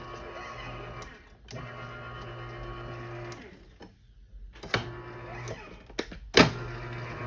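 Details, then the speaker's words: Garage door opener after replacing a burnt-out motor capacitor, closing: motor hums in steady runs with short stops and a faint squeak over the travel; squeak source unclear. "So I did get it to work now. Listen to it. Sounds pretty good. Oh. Is it supposed to be squeaking though?"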